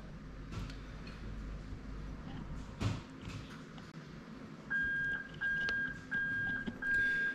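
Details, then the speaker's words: Bench test of a GS430 3UZ-FE VVT-i (2000-2005) adapted plug-and-play into a Lexus IS200 with J160 6-speed manual: reverse switch bridged as the gearbox would, giving a steady high beep about once a second. Reverse warning buzzer working. "there you go, I've just bridged the switch, exactly what your gearbox does, and you can hear the beeping there to show that the reverse circuit is working as it should."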